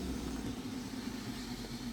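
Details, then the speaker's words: Volvo 740/940 main fuel pump under the car below the driver's seat, replaced two years ago, runs noisy at steady idle with a constant low hum; car loses power under acceleration; fuse-one circuit draws over 9 A and in-tank priming pump isn't running, broken connection suspected. "the circuit with fuse number one Powers the main and in the tank pumps but we already know that in tank pump is not running is it an electrical connection broken"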